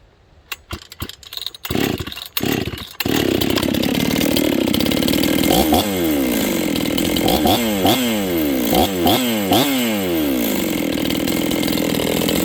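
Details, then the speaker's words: Rebuilt Husqvarna 266XP chainsaw with a new top end installed, on its first run. It fires after a few pulls, and repeated throttle blips climb slowly off idle, lazy off the bottom. Final carb settings aren't done yet, so carb tuning is suspected. "flipping the throttle you guys can hear it's a little lazy off the bottom"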